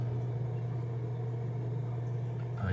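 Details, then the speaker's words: Fluval FX6 canister filter (the other unit) running: a low, steady hum with no chattering or abnormal noise; normal. "that's how you can tell that it's actually working but there's no chattering no abnormal noise from this one"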